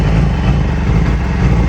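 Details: 2008 Yamaha R6 motorcycle: low, lumpy idle with an uneven stumbling beat; rough idle, cause not pinned down, new ignition coils and spark plugs ordered.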